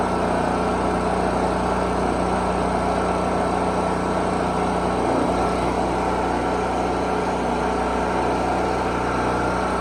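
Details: Generator rated 3500 running watts, first run after storage, started on choke: steady, even drone with no surging, misfire or hunting; running properly, oil change still due.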